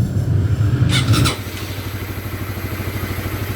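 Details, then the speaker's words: Honda CBR150 LED motorcycle after cylinder head/block reassembly: a brief rev settles to a steady, even single-cylinder idle with no knocks or misses. The hissing is from the air filter not yet being installed. Runs healthy. "Suara yang mendesis itu karena filter udaranya belum kita pasang ya, Teman-teman."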